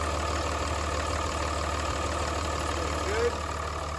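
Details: 5.9 Cummins diesel truck after fuel control actuator replacement, first start at about 22 degrees after two weeks sitting: smooth, even clatter at steady idle with no hunting or stalling; rough idle, rough starting and smoking cured.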